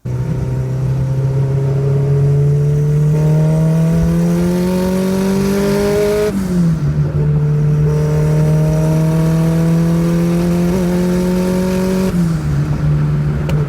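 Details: Nissan Sentra with SR20VET swap, new traction bars, accelerating: engine note climbs smoothly through two gears with a clean shift, no surging or hunting; boost holds a steady 9 psi, where before it fluctuated between 6 and 9.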